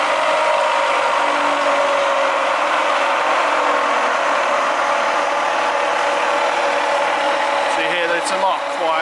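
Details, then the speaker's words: Bridgeport mill Vari-Speed head after service and reassembly, speed dial being raised: smooth steady whir rising gently with speed, no knocks or grinding; quiet, normal running. "so this is how the head should sound once it's been serviced nice and quiet"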